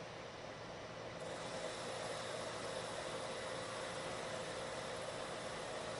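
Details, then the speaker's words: Lathe turning a long thin part after center support was added, same cut depth and speed as the earlier chattering pass: steady even hum with no chatter, giving a much better surface finish. "time you don't hear the chatter and if I stop the machine you can see they have a much better surface finish"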